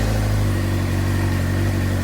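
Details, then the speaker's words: 2007 Suzuki GSX-R600 after CDI/ECU replacement, previously would not start: bike fires right up and holds a steady, even hum with no misses; running properly, though the gauge still doesn't come on. "but the gauge is still not popping off so well like we got it to start replacing the ECU fire right up"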